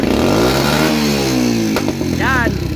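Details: Motorcycle engine revs up, then sharp pops crack through the exhaust as the throttle snaps shut, caused by a hole in the leaking secondary air pipe.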